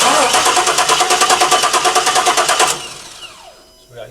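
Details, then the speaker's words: 1968 Chevy C10 with LS engine, probably over 200,000 miles: cranking at about three pulses a second with no firing, checking for spark with a screwdriver arced to the header; no spark, traced to a bad coil ground. "we're gonna crank it over see if we got any spark"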